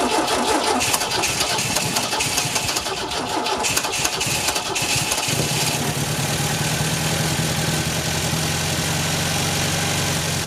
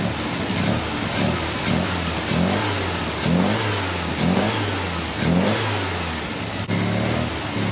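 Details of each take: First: 1974 MGB that had a bad rod knock, with fresh fuel and new filter, cold start: cranks and catches, then a steady, even fast idle with a smooth low hum and good oil pressure; normal cold high idle. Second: 1974 MGB fitted with big carb jets, warmed up: ran well on choke, but with choke off it surges and sags about once a second with pops, backfiring out the intake; blown intake gasket vacuum leak.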